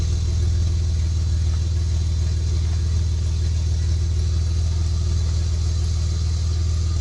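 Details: Project Bluebird idling after fitting almost-new headers with gaskets: deep, steady exhaust burble with an even pulse and no ticks or misses; a healthy engine idling smoothly.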